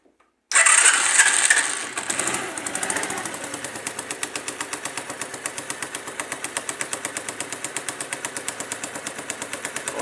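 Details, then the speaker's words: Dafra Zig 50 scooter at idle after starting: fast, light, regular tick about three per second like a sewing machine or a pin knocking, from the clutch side; cause suspected, not confirmed, right-side cover to be removed. "essa moto aqui a parte da embreagem dela tá fazendo um barulho como se fosse máquina de costura ou algum pino batendo"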